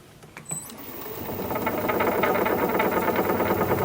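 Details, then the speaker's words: Jet wood lathe, about three years old, turning sycamore at about 610 rpm: rough rattling knock about three per second builds as it speeds up; spindle shifting, owner suspects loose lock handle as last time. "well this jet lathe is just angering me it's it's given me really good service but not that long you know about three years and maybe i know how to fix it maybe i can fix it like i did the last time but jeez i shouldn't have to it was a last time it was a loose handle"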